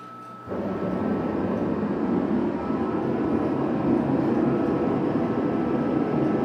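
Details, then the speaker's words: Diesel garage heater with a 14-gallon tank, lighting on startup as the front plate heats: a steady low rumble with a faint tone instead of a high squeal; normal burner startup. "the sound that it puts out a much it's like a a very low Rumble instead of a high pitched squeal like event this I can tolerate much better"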